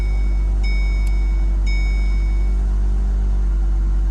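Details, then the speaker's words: 2008 Ford Focus SE 2.0L after a no-start, restarted once the battery (found at 75%) was charged; ECU shows 14+ volts. Starts right up with no clicking; low, steady, even idle hum with a couple of beeps. Battery still suspected. "so um maybe the battery was just dead because it was at 75 percent but i charged it up so let's turn it off and let's start it up again let's see if it clicks nope start it right up"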